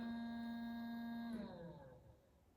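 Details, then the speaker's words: Truck with what are likely HID headlights: steady thin electrical buzz heard in the cab, sagging and fading when headlights are switched off; noisy HIDs. "the cab lights are noise soon as I turn the head come here listen to this oh it's the headlights I bet those are HIDs yep"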